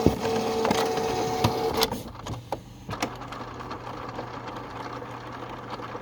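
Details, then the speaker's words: Canon Pixma TS6120 inkjet printer showing error 1003 (no paper in cassette): at power-on its motor whirs steadily with light ticking, then rollers click quietly. This is a normal roller cycle used for cleaning the feed rollers. "and then when you turn the printer back on same thing it just gives you the opportunity to clean these rollers"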